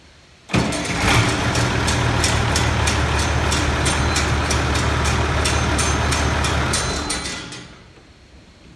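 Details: International 986 tractor diesel after starter removal and reinstall: starter catches at once, fires and settles into steady, even idle clatter for several seconds, then shuts off cleanly; normal start and idle.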